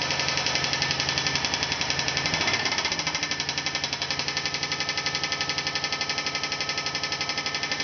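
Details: 2000 Polaris Trail Boss 325 single-cylinder quad running with a loud, hard metallic engine knock hammering about four times a second.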